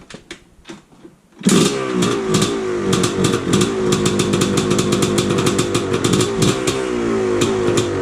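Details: Yamaha Blaster two-stroke after replacing the carb float valve and seat and a new 3x5x12 mm flywheel Woodruff key that restored spark: a few kicks, then a crisp, rapid crackle firing steadily; starts and runs fine.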